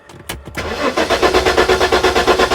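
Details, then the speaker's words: 1994 Jaguar XJ6 no-start after months in storage, EMS relay bypassed with jumper: steady, even cranking pulses about nine a second with no catch; still 7-volt drop on the starter positive circuit; starter circuit voltage drop. "still got 7 volt drop on that positive circuit"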